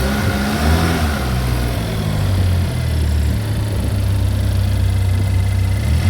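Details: Chevy Equinox after an engine replacement, first start-up: steady, even low rumble with no knocks, misses or rattles. Engine idles smoothly and sounds healthy.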